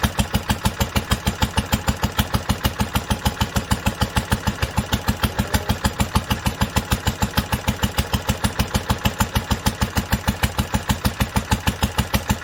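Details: 1946 International Harvester LBB 3-5 hp water-cooled engine, first cold start after sitting covered a long time, started on the next pull after two choked turns; crisp, perfectly even firing around two beats a second, no misses or knocks, smooth and healthy.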